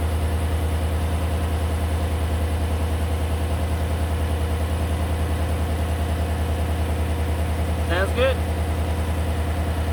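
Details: John Deere tractor that had died earlier, started after the oil was drained and the level checked, while the owner listened for knocking: an even, steady idle with no knocks or ticks on top. The engine sounds healthy.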